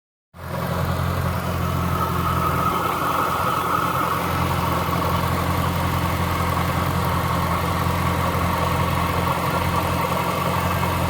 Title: jaguar S-type R funny tapping noise